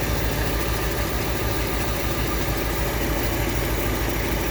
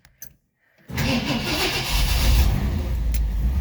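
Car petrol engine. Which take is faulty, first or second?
first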